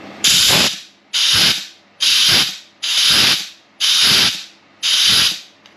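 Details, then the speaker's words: Rebuilt Turbo 350 (TH350) transmission for a rock buggy, air-checking the clutch packs: six sharp hissing bursts about a second apart, each with a firm click as the clutch applies. The clutch pack engages cleanly on air. "So, that's freaking cool. So, that's one of the clutch packs engaging. I like that."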